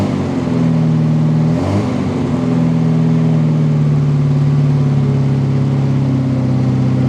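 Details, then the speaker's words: Westfield XI stored for years, just started with starter fluid. Steady, even engine note after a brief blip with no knocks or misses; good oil pressure, but the ignition light stays on and the alternator is unverified. "Started right up."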